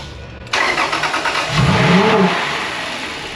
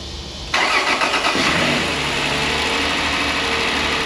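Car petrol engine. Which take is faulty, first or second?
first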